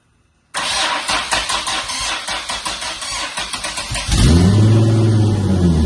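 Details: Twin-turbo swapped widebody Nissan S12 Silvia, first start in 5 years after new starter-solenoid bracket: steady cranking about three turns a second, then catches and settles into an even smooth idle; healthy start.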